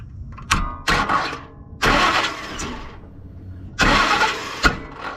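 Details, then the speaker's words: 2004 Ford Expedition, 260,000 miles, would not start; battery shows 14.2 V. Cranked from under the truck with the starter solenoid bypassed: short, uneven bursts of cranking, then it turns over and catches. A starter problem is suspected. "Oh crap. Yeah, I say we got a starter problem."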